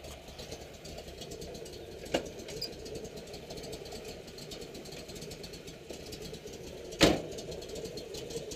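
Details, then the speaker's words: 1969 Camaro Z28 V8 idling: steady idle with a slight cam lope and occasional sharp tap, exhaust rattling a little where it is loose; healthy engine with a bigger cam. "hmm you can hear the exhaust rattling a little bit where it's loose has a nice cam in it sounds really good"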